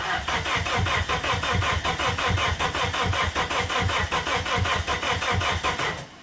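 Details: Abandoned Plymouth Neon, sat at least 8 years: starter churns steadily, about eighty compression pulses a minute, after spraying into the intake, but never fires; crank no-start because fuses are missing.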